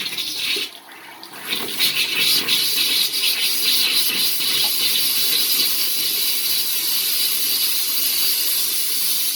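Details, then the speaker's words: Eldom Invest/Diplomat 80-litre electric water heater, refilling after internal cleaning and seal maintenance: an opened hot tap lets trapped air out. Hissing, sputtering rush as air blows out ahead of the water while the tank fills. "So this will let the air escape. Air is escaping now, and the boiler will start filling up with water."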